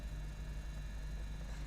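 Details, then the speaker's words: Three-phase induction motor on a magnetic-contactor reversing circuit, running after the second ON button is pressed: a steady low hum with a smooth drone and no knocks or rubbing. Normal running in the reverse direction. "Pada saat motor bergerak dikarenakan on 2 dihidupkan, motor bergerak berbalik arah dari motor bergerak pada awalnya."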